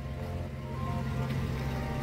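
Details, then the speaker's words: VW Gol G3 after replacing broken, noisy exhaust, light rev: deep smooth hum free of rattles or blowing. "mas já tá finalizada agora ficou certinho colocar sem barulho né porque tava um barulher do caramba cara realmente não tem quem aguenta"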